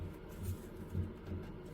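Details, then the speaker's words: Canon EF 24-70mm f/2.8L USM lens autofocus motor gives soft dull knocks about every half second, stalling at 50 and 35 mm while 70 mm focuses fine through the full range. "То есть он что-то с ему не даёт работать. корректно фокусировки э на дистанции отличной от семидесяти получается."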